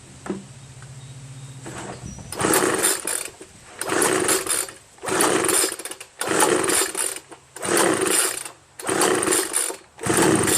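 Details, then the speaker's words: Homelite 25cc two-stroke leaf blower, spark and fuel confirmed, after clearing a blockage: six or seven rope pulls about a second apart spin it without any firing, not once; no-start from no compression, scored piston found at teardown. "God should have done something you know I mean some signs of it should have done some signs of it I've been pulling and pulling nothing happens not once"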